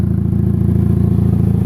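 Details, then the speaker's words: Chevrolet HHR at idle, heard at the rear: loud, raspy, even chuffing from a rusted hole in the exhaust ahead of the muffler; quiet at the front; exhaust leak before the muffler. "It's loud back here. Oh yeah, right there, YouTube, hole in the exhaust, before the muffler. Son of a diddly, there it is. That's why she's so loud."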